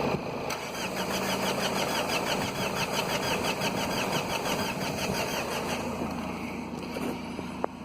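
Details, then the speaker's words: 2009 Mazda 3 2.2 diesel that quit after the oil light came on, battery flat; injectors flash, so rail pressure is present: even but sluggish cranking at about three turns a second, never catching; cranking speed too low to start. "my problem with this cat is not enough rotational speed but whatever reason so let's keep thinking you"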